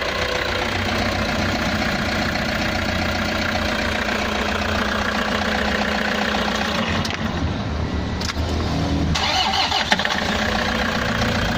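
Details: Toyota Hiace diesel with a no-crank fault, started by shorting the starter relay; the starter spins briefly, then the engine catches and settles into a steady, even clatter with no misses. Fault traced to a broken wire, not the battery, starter or relay.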